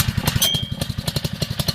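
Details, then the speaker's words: Honda WB20XT4C 2-inch utility pump engine, used 5 years, started with choke then choke off; catches at once and settles into quick even popping near eight beats a second, healthy start and idle. "This thing always starts right away. Take the choke off, get some gas."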